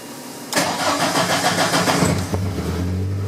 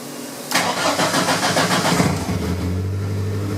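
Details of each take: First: 1983 VW Rabbit GTI, 16V ABA engine on a Holley Dominator EFI with individual throttle bodies: with fuel prime on it cranks and catches, then runs rough for seconds before idling. Rich stumbling start from fuel prime. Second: 1983 Rabbit GTI with VW 16V ABA engine on individual throttle bodies and Holley Dominator EFI, with fuel prime disabled. A short crank, slightly slower to catch, then a clean catch into a steady idle with less stumbling: normal start.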